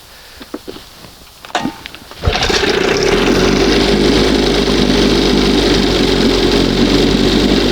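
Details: 1971 Johnson 20 hp two-stroke outboard, restarted: catches after a few cranks, holds a fast steady buzz instead of a slow idle; owner suspects top or bottom seal or makeshift hose pulling air; high idle.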